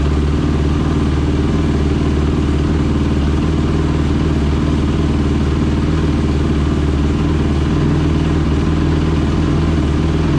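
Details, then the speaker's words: Rebuilt Honda TRX450ER with a Yoshimura exhaust on first start, carburetor O-rings leaking: a loud, lumpy, ragged idle with clattery exhaust. The exhaust reddened fast at idle; owner suspects bad carburetor jetting, possibly lean. "now that don't sound good that don't sound good at all i don't know if i like that"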